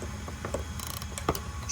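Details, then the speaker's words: T10 torque-limiting driver preset to 12.4 inch-pounds tightening optic plate screws on a Walther PDP: short ratcheting clicks in quick bursts as the slip joint slips; preset torque reached on each screw. "once they get down you're going to feel this torque limiting driver start to slip and so that slip joint is what sets the torque value you hear it"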